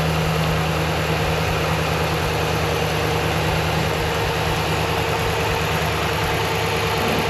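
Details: RAM truck's newly installed engine on its first start: steady, smooth idle with an even low rumble, no ticking, knocking or stumbling; sounds good, though a code came up; normal idle.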